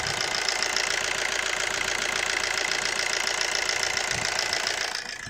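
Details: 2007 Suzuki Swift diesel after a new DRV was fitted on the fuel rail and the rail was air-bled. Earlier complaints were long cold cranking, high idle RPM and a misfire feel. It now starts on short cranking and settles into an even, smooth idle with regular injector clatter.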